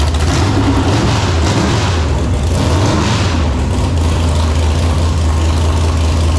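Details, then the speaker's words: Freshly built 454 big-block Chevy V8 in El Camino, 10.2:1 compression, ported 781 heads, Clay Smith hydraulic roller cam, first fire-up: loud deep lumpy steady running, crisp throttle, no knocks; healthy, though carb needs tuning. "that sounds crisp definitely needs some carb tuning yeah sure out of the box"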